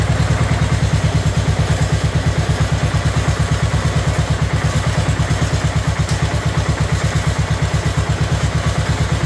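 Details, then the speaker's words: Abandoned 2004 Murray lawn tractor, Briggs 12.5 HP OHV single, first run: heavy, lumpy, uneven chugging idle, loading up and running rich with excess fuel; carburetor later adjusted to cure flooding. "try no choke because there's probably lots of gas in there"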